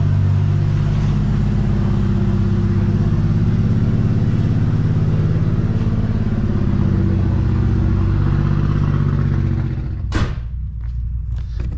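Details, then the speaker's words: Nissan GTR started after sitting unstarted for a very long time: a loud, lumpy low rumble with an uneven beat and a clattery edge for ten seconds before shutdown. Something is badly wrong. "right guys so uh as you can tell as you can hear uh there is something major major wrong with the uh gtr"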